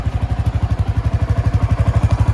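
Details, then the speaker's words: 2022 Honda CB 250F Twister idling after fixing the license plate bracket: steady single-cylinder thumping with no metallic plate rattle; fix worked. "vou ligar ela aqui rapidão falei para ver sem barulho nenhum"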